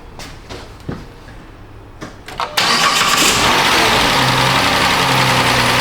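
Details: 2010 Chrysler Town & Country 4.0 after replacing the faulty coolant temperature sensor, started to warm up: brief crank, engine catches cleanly, smooth even idle with no stumble; normal start now with a working sensor.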